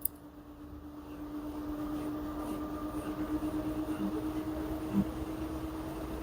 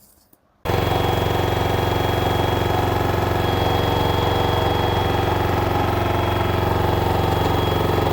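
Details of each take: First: LG washer model F4V5RGP2T, under one year old, spinning with a load of dry clothes: an even motor hum with a soft drum swish as speed slowly builds, still normal at this point; an abnormal noise appears later in the cycle. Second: LG 10 kg washer / 7 kg dryer front loader, smart inverter direct-drive motor, loaded and spinning: loud, steady roar with a fast, even buzz of about four beats per second; the mounting of the main control board is vibrating, while the bearings checked fine.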